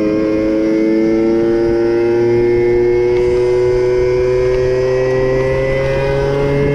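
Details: Moped/scooter (MBK) two-stroke after carburetor leaned out (free-flow air filter had enriched it, limiting it to 30 km/h), now reaching 70 km/h; clean buzz rises steadily with road speed, no stumbling or flat spots, pulls well.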